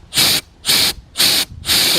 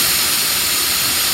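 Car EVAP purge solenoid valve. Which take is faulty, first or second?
first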